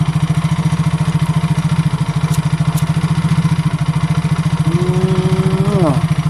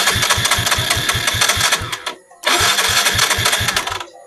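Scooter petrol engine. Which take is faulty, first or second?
second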